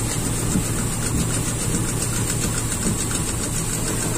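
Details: Toyota Kijang Super carbureted petrol engine idling unevenly with irregular stumbling beat; cylinder 4 not firing (wet spark plug); mechanic suspects valves, also adjusts carburetor air screw and suspects leaking or loose intake air leak.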